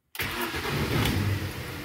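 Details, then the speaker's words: Mini with a recurring hard cold-start problem, started during a fuel pressure test with the fuse refitted. A brief crank, then it catches almost instantly and settles into a steady even run; a healthy start, so fuel pressure is likely not the cause. "voyez elle démarre quasi instantanément donc c'est pas un problème de pression de carburant a priori"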